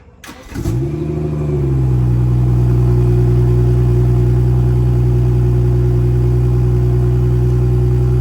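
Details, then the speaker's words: BMW F34 with B58 engine after replacing the exhaust valve actuator bow spring (part 18307620323) and tightening bolts, exhaust flaps closed; cranks, catches and settles to a smooth even idle with no metallic exhaust rattle; normal start and idle, rattle fixed. "but I got the bolts tightened up, and let's turn the car on and make sure there's no rattles."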